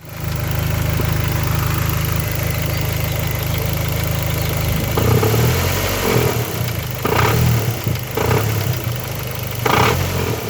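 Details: Dodge SRT-4 after replacing a broken timing belt: the engine idles with an uneven rough note and irregular clatter over a steady low hum.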